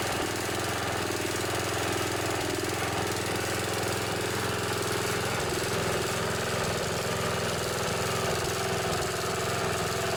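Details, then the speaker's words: Snapper SR1028 riding mower, 10 hp flathead Briggs & Stratton, about 30-40 years old: it runs with uneven, stumbling beats about once a second and sputters. The owner suspects it needs more carburetor work. "this one sputters a little bit probably use a little more carburetor work but it functions just fine"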